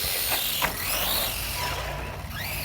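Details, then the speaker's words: Kraton 4S RC car after repair with the center shaft, center brace and pin refitted, outdoor test: clean motor whine swooping up and down with throttle, no clicking, skipping or gear grinding; the drivetrain meshes smoothly. "I got everything tightened up let's take her outside oh yeah woo I think she works just"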